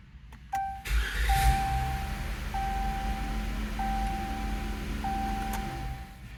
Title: Chrysler 200 short crank no start (PCM ground problem)